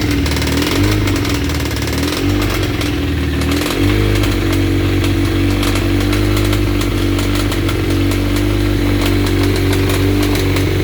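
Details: 1992 Suzuki GSX-R 1100 four-cylinder running loudly with a rough, uneven rasp over the steady note; abnormal engine noise, source unclear.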